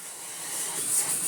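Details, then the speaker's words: Vorwerk Kobold VK200 vacuum cleaner running without its floor head, after beeping and refusing to run with it attached; a clog was later found. A smooth, steady high whoosh with no rattles or pitch wobble. The motor is healthy. "Great. So, smooth and quiet."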